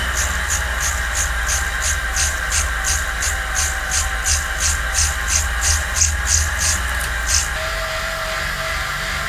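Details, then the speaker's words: Bike on a wheel-on indoor trainer with standard Continental 5000 road tires: steady roller drone with regular chirping about three times a second as the tire slips on the roller. "we have the standard continental 5000 tires on our normal rim and you can see it makes a lot of noise. It actually slides and you can hear that"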